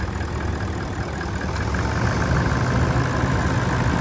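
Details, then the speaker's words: 2018 Toyota Landcruiser GXL 200 Series diesel with full service history, idling, heard under the bonnet: steady low diesel clatter at an even idle, no knocks, rattles or squeals; sounds healthy. "Very clean condition. As we listen to it run though, there's no major knocks, rattles or squeals."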